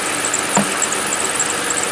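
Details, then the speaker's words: Car with about 25,000 miles over seven years of ownership, cold January start at idle: thin high chirping squeal recurring over soft idle; owner suspects belt or a pulley, says it goes away and causes no problems. "so now you can hear it pretty good you hear the squealy belt might be a pulley that's squealing I don't know but like I said it goes away doesn't cause any problems so it's fine"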